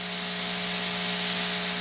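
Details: Ya Xun 902+ hot air rework station with a fine nozzle at 450°C, nozzle moved away so only the station is heard. Steady high air hiss with a faint constant hum: normal operating noise, offered for comparison against a unit reported as too loud.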